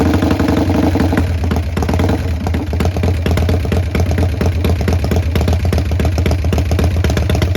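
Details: Restored 1990 Harley-Davidson Sportster 883 Evo, first start after restoration and fixing a fuel leak: steady, even loping V-twin idle, deep low rumble, no misses or knocks; running cleanly.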